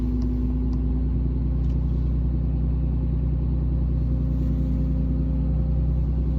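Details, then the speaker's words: Interior whine heard under the driver's side by the brake pedal on a 2017 Ram 2500 6.7 diesel, about 84,000 miles: whining, grinding, vibrating drone over a low diesel rumble, not heard outside; failing power steering pressure hose from the hydroboost to the pump. "Been dealing with some whining, kind of a grind, kind of like a vibrating noise. It's only on the interior of my truck, not on the exterior."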